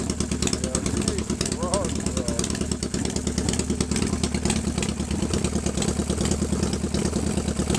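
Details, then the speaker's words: 1997 Harley-Davidson Fatboy Evo V-twin with a Mikuni carb and 70,000 miles, after a hard start from a dry fuel bowl after a month's sitting: deep, lumpy beat at a raised, steady cold fast idle with no misses or knocks; sounds healthy. "But here she is running [Music] on fast right now. This is still cold. Still cold."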